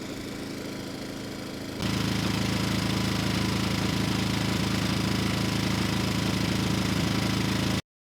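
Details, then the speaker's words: Rebuilt Briggs & Stratton engine, model 210312-0159-E1, with under 50 hours from new when it failed from running out of oil, staked down on a board after it vibrated across the yard: steady, even chug at constant speed, no knocks or misses; normal running. "the governor seems to be responding well so I had to add those two stakes because the engine was vibrating the board across the yard"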